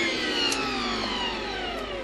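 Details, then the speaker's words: SEG 1600 W vacuum cleaner with water filter, motor unit that would not run, after checking both motor brushes and reassembling: smooth high motor whine steadily falling in pitch as it winds down, no scraping or crackling; motor runs freely, normal. "2 щетка этого пылесоса нормально и теперь он у нас опять работает"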